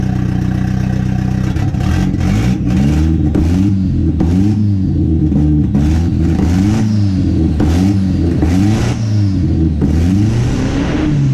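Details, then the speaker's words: Built KA-T turbo engine in a 240 with new Pulsar PSR 3582 turbo, running after nearly 2 years sitting: repeated throttle blips rising and falling raggedly, slowly smoothing as fuel tuning progresses; rough running, possibly mixture-related. "what I'm doing is doing a little bit of fuel tuning trying to get it's a clear up so just lay out and listen you can hear it clear a little more each time"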